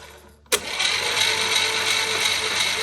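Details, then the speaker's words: 1963 Chevy 230 inline-6 sitting about 35 years, cranked with spark plugs out by jumping the starter: sudden high whirring grind with no cranking beat; Bendix not happy, starter later swapped. "The Bendix isn't happy, but, ooh, like it didn't turn over actually."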